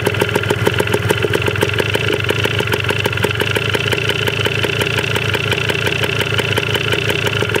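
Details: 1980 Yamaha DT 125 Enduro two-stroke, first start on old fuel, battery uncharged, very low compression noted, carb not yet cleaned: steady crackly popping about five beats a second, even and unbroken; idling fine.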